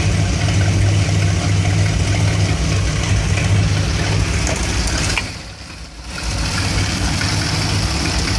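Warm V8 idle with an uneven, loping beat and irregular stumbles instead of a smooth rhythm; rough idle, cause unknown.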